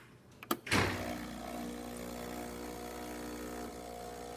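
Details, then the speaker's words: Breville espresso machine pulling a test shot after the faulty solenoid valve assembly was replaced (it had caused a loud buzzing while brewing): a couple of clicks and a thunk, then the pump settles into a steady, even hum of normal operation. "you can hear these sounds are of normal operation"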